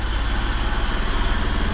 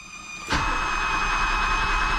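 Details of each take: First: 1978 BMW E12 530i, M30 engine, first start in 16 years after new fuel pump, fuel filter, relay, oil filter and fresh oil: steady, even low idle with a smooth regular pulse, no knocks or misses; running cleanly. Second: 1978 BMW E12 530i, first start attempt in 16 years after fuel pump install, tank drain, oil change and battery: even cranking at about three and a half beats a second that never catches; no fuel delivery yet.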